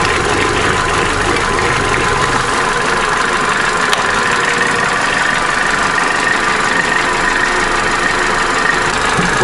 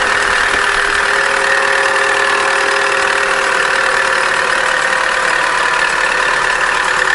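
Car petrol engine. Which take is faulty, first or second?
second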